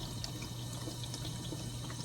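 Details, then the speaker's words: Frigidaire dishwasher that fills but won't spray, later fixed by replacing the circulation pump: steady hiss and trickle of water through the inlet valve, no buzzing or chatter; normal water fill. "turn it on fills up with water you can hear it filling up with water"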